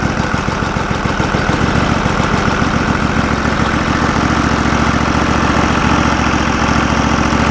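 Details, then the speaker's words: Norwood LumberMate portable band sawmill small engine, sitting all winter, battery just hooked up: a steady even putter at idle with no knocks or misses; normal idle after storage. "always good to run them a little bit you know get them keep that gas running through that carb or something"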